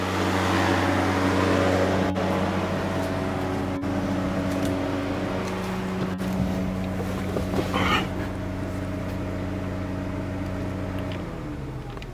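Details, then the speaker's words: 1991 VW Vanagon radiator fan running normally at low speed with the engine idling: a steady even hum. The fan had been stuck on high; the thermal sensor was suspected. "let's go outside and look at the radiator foreign at a nice low temp low speed it's hooked up"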